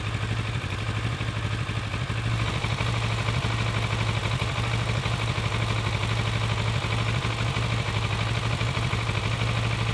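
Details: Kawasaki ER6-n twin idling stationary, fully warmed up after 30 minutes of riding, with a low, slightly uneven beat of about three pulses a second; owner asks whether rpm should settle; unstable idle, possible misfire.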